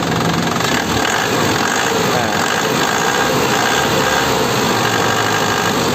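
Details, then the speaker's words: 2010 Isuzu Panther LS Turbo diesel, original, dry engine, no exhaust smoke: steady even idle with crisp, soft clatter typical of Panther, no knocks or hunting; engine calm, healthy. "kalau mobil sehat seperti ini lho suaranya jadi Tandain aja kalau mesinnya sehat suaranya seperti ini stasionernya itu enak mesinnya tenang enggak enggak goyang suaranya renyah lembut ini renyah-renyah khas Panther ya Itu tandanya mesinnya masih sehat"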